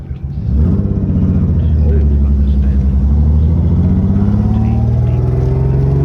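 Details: Lexus SC300: deep rumble climbing with revs, choppy lawnmower-like note; intermittent misfire, suspected from broken, bent rotor eating the distributor cap leaving metal shavings, possibly coil too; not confirmed.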